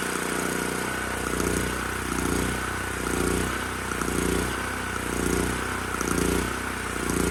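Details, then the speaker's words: Titan TG8000Z 8000 W generator, sold as running only on starting fluid, now running after spark plug boot suspected not engaging: drone swelling and dipping about once a second, mild governor surging, especially under load, despite carb. "so huh it is a little surgey especially when under load which is surprising given what i saw in that carb"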